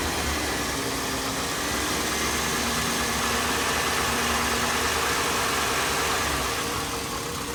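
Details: 2002 Chevy Avalanche 5.3L V8 at 214,000 miles, warmed up: a light, regular tick about three to four times a second over a steady idle, loud, from the right side and worsening over a year. The owner likens it to cam phaser tick; source unconfirmed.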